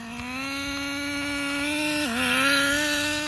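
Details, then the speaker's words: Traxxas 4Tec nitro RC car with a rebuilt 3.3 engine on a test run at wide open throttle: high screaming note climbs, dips sharply, then climbs again, possibly a transmission shift; a clink was heard earlier. "that sounded like a shift. So I can't tell. That was wide open there."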